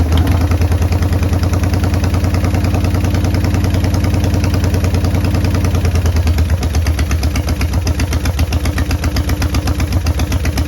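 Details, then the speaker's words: 1990 Harley-Davidson Sportster 883 restoration project, start with no breather fitted: loud, lumpy idle with stumbling, shifting beats; runs rough. "Well, she runs, but she don't done good."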